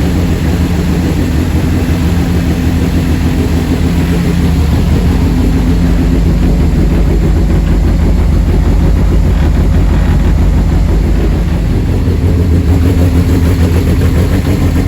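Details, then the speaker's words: Vauxhall Corsa twin-engine car, freshly rebuilt rear C20LET turbo four-cylinder first start in months; low, steady even idle with no misses, knocks or hunting; healthy. "so the car's running it starts up it seems too idle running ready to go quite happy with two"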